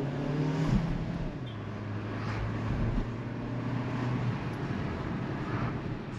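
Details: Hyundai HB20, test drive after suspension check (shock absorber and mounts had been suspected): low steady engine hum and road rumble, no clunks or rattles; normal ride.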